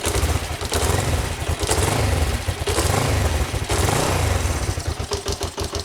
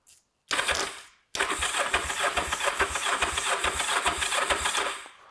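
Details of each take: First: Kawasaki GPZ 500S twin, left outside three to four years, restarting during its revival: catches on the first press and runs with a rough, fast beat for several seconds before shutting off. Not very smoky. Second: Kawasaki GPZ 500S twin, left outside three to four years, with power connected: the starter spins it in quick, even chuffing pulses for about four seconds with no firing, because the tank has no fuel.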